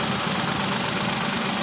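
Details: Toyota Wigo 2014 freshly overhauled engine; steady, even idle with smooth hum and no knocks, misses or rattles; engine sounds healthy.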